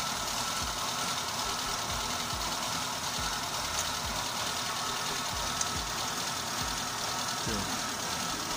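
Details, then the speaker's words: Car with a squealing alternator belt and charging only about 10–11 V, started to let the belt seat in its grooves; starts easily and idles steadily with a low even pulse and no squeal or chirp; normal charging. "запускаем двигатель это нужно для проверки чтобы ремень из точным стал свои посадочные места свои пазы и поехал поехал поехал двигатель завелся легко"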